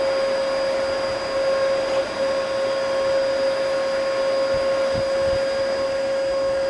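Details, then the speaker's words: Bissell Powerforce bagless vacuum, first power-up, brush bar not turning; steady high thin motor whine unchanged by airflow, no suction. All filters clogged. "I don't think it'll even pick up snow. Look at that. Oh, yeah. It's definitely plugged."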